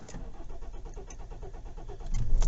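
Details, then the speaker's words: Kia Ceed/i30 CRDi diesel, cold at 12°C, before fuel filter change: lengthy even cranking about five beats a second before it finally catches, normally starts instantly; fuel economy dropped to 54 mpg; owner suspects fuel filter. "all right it didn't start there that was quite a lengthy crank"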